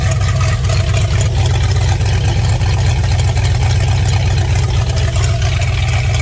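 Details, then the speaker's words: Fox body Mustang V8 at its first start in 18 years, with vacuum leaks and no upper radiator hose or coolant yet. The loud, deep, blatting idle is caused by an unwelded exhaust joint that still has to be welded at an exhaust shop. "the reason it's so loud is skate down there right now i got to bring it to the exhaust shop to get that uh welded on"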